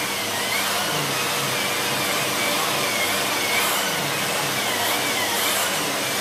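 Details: Siemens Z6.0 Power 2500W bagged cylinder vacuum with its mini turbo brush on chair fabric. Strong, steady rushing hiss with a light whir that never drops; the brush spins quickly without slowing, normal operation.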